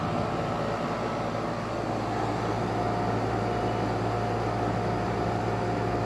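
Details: 2008 NuTone dual-zone central air conditioner, R-22, at startup and running: smooth even compressor hum with steady fan rush and a faint constant tone; normal running.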